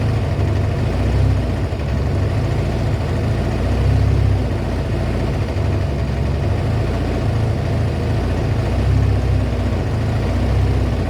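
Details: Kawasaki ZL600 V-twin after a project revival, just fitted with a new battery and pod air filters, warming up with smoke off the exhaust: steady, even low rumble with no knocks or misses. Settling into a healthy warm-up idle.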